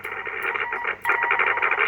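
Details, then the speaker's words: Belcom LS-102L 10m radio under repair: audio cutting and spitting with sharp crackles and brief dropout; chassis and VCO very microphonic, possibly a missing ground, still unresolved. "but as you can hear that crackling noise that's not a good thing"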